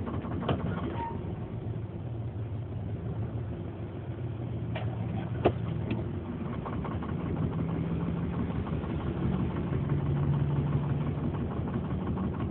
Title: 93 Ford Explorer rough idle, mis fire